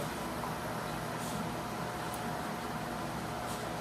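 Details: Lochinvar FTXL 400 boiler after replacing faulty inlet water sensor and manual lockout reset: steady even burner roar with faint constant hum, no banging; firing normally, inlet reading 97–98, outlet 107.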